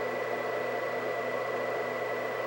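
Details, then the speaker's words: White Xbox 360, believed Jasper revision with extra GPU heat pipe, running: steady loud rushing fan with constant high whine, no change in speed; cooling fan much louder than remembered but console working. "so i just wanted to show how loud this was i don't remember these being so loud it's freaking loud"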